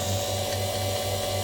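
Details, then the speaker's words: Car AC vacuum pump on the low-pressure line after about 15 minutes. The loud running has changed to a quiet, steady even hum with no labouring. The pump is running normally at full vacuum. "it's become completely silent. So there's 100% vacuum in this."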